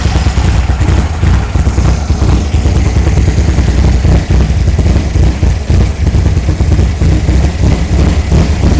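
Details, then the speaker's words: 1964 VW Beetle engine idling with a loud, deep, uneven loping beat and clattery chuff, right after a new carburetor, rockers, coil, rotor and cap. The lope suggests a cam, but this is unconfirmed and the owner might be asked. "uh it sounds like it has a bit of a cam in it not sure might have to talk to you know talk to talk to the owner and see if it does or not"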